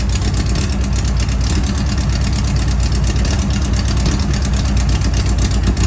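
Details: Class 11 race Bug, freshly fitted air-cooled flat-four first run at 2 a.m.: deep, steady, thrumming idle with an even low beat and no misses or knocks. Normal idle.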